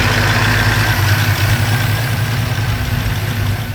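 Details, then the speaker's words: 1940 Ford pickup with supercharger, noisy after a trip: low lumpy idle with a rough, uneven churning underneath; owner suspects the supercharger rotors are touching, unconfirmed, and the noise later worsened with crunching. "Now to me that sounds like the rotors are kind of touching."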